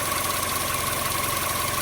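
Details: 2012–2018 Chevy Sonic 1.8L non-turbo Ecotec petrol engine idling in the engine bay, running lean; uneven, lumpy, shaky idle with a faint hiss. Rough idle.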